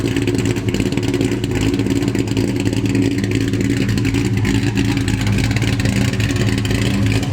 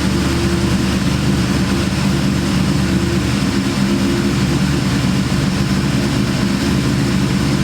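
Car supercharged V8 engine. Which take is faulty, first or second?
second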